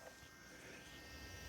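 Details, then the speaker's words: Radiolink RC8X FPV camera, just powered up: a faint, steady small-fan buzz with even airflow and no ticking or rubbing. The cooling fan spins normally. "I'm gonna plug it in. You can hear the fan blowing, and you're not going to see anything yet because there's a little cap on there."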